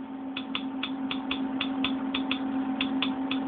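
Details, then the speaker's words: Old hard drive: steady spinning hum with sharp, unevenly spaced ticks about two or three per second, from the heads crashing against the disc, a failing drive. "coming from inside your laptop or a desktop PC that's a bad sound as you know what that is is the heads crashing um against the disc"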